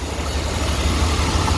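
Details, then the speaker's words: 5.7L (350) V8 with new oil pump and timing chain in a 1991 Chevy 3500 one-ton flatbed: deep steady idle, no knocks or ticks, running smooth; oil pressure about 60-65 cold, about 40 warm. "and uh yeah so she's running really smooth really smooth"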